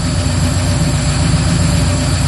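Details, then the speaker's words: 1964 Ford Fairlane with a 347 stroker V8, fresh oil change, after replacing the bad ticking lifter and its neighbor: deep, lumpy, even idle; the lifter tick is gone, with only slight roller-rocker tick remaining and possibly needing adjustment. "no more tick tick tick it's got those big uh roller rockers on it they've got a little bit of a tick to them but it's quiet"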